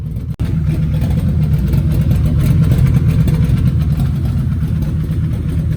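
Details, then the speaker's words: Volvo 850 engine at first fire-up after reinstalling it during a build: loud, steady, even rumble right after start with no knocking, ticking or stumbling. Normal running. "So guys, I got it fired up and I'm literally so ecstatic."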